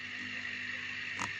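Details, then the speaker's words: Aquarium air pump sitting on a surface, before silencing in a jar; quiet steady hum with high buzzing edge, no rhythm; pump vibrating against what it rests on. "you know when you try and make a video and it decides it's just not going to do it so you get the vibration"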